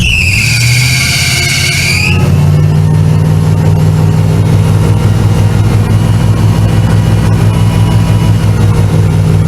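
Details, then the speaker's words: Chevrolet Camaro Z28 with computer-controlled Quadrajet carburetor, first start after rebuild and float adjustment aimed at a stalling problem: steady, even engine note held well above normal idle and never settling; high idle still way too high. "[Music] still the same issue obviously unless it's gonna need the sun to work itself out the high idle is way too high clearly"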